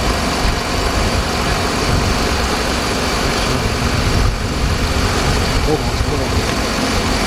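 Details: 2007 Jeep Grand Cherokee Laredo 3.7 at idle during an alternator job, charging measured at 14.1 V with no over- or undercharging. Steady, even idle with a smooth low rumble and no knocks, squeal or whine. Normal idle.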